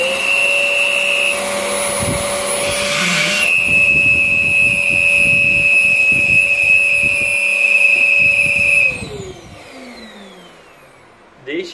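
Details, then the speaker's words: Rowenta Compact Power Cyclonic vacuum with a dirty filter runs with a steady high whistle over the motor hum. The owner suspects disrupted airflow, possibly motor-related. "Benim Tahminimce şu hava akışı bozulduğu için astık sesi geliyor"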